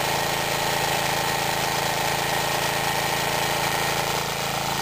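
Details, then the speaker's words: Mid-1950s Clinton 3 hp single-cylinder engine running a belt-driven 110 V generator lighting a lamp: even, fast drone with a steady whirr held constant; runs smoothly under load. "notice how difficult that was only one pole and it's running nice reliable Little Engine and in case you can't tell that light is glowing"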